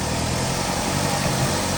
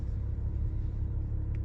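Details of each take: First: 2019 Ram Promaster City after rear engine mount replacement for vibration and jerking on shifting: steady, even idle through reverse and drive with no shudder, vibration noise about 90% less; normal idle. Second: 2019 Ram Promaster City idling in gear: deep steady rumble and drone, loud in drive and reverse, absent in park and neutral, with whole-car vibration and engine jerk. Worn rear lower engine mount.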